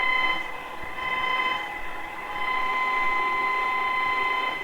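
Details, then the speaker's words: Sangean ATS-909X2 on shortwave with its telescopic antenna: thin, steady whistling tones over background hiss, described as some type of internal lines. Changing the bandwidth does not help; the interference comes from inside the radio and its cause is unknown. "oh no it's some type of internal lines but"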